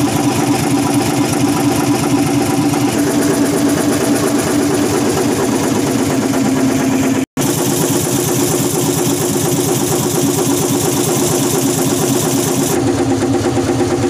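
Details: Hino EM100 diesel engine started after sitting dead three to four years: even, steady idle with a regular firing beat and no knocks or rattles; normal idle.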